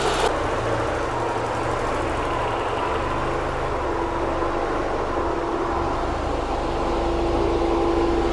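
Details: Porsche 944 just got running after electrical and no-spark fixes, idling while the cooling system bleeds after running hot on a drive: even, steady idle, smooth low rumble, no knocks, misses or surging; normal idle.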